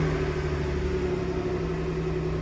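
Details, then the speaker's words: Toyota Alphard that would not start (key touched to button to read chip): engine fires and settles into a smooth steady low hum; idling normally. "Көлік оталды."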